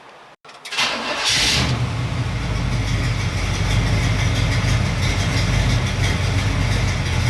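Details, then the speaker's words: Stock Chevy 350 small block V8, flat-top pistons, in truck, after fixing two burnt ignition wires and a dirty spark plug that caused vibration and hesitation; click, then catches and settles into smooth idle about 600-700 rpm: normal idle. "That's idling at a pretty smooth 6 or 700."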